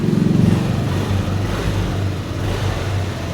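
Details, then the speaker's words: Yamaha Aerox 155 Version 3, engine damaged through an aftermarket pipe, 1.3 (thousand) on the odometer, running again after repair: steady even low drone with brief rise at start, no knocks or rattles; healthy running. "Nabuhay na muli ang kuleto nitong version 3 na Aerox."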